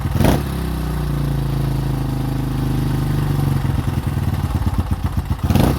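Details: 2005 Honda CRF150F, a former no-start that then ran high without idling (a carb issue), after valve adjustment and carburetor tune-up, carb being adjusted: putters steadily at fast idle, then blippy as the throttle is worked; starts and runs cleanly.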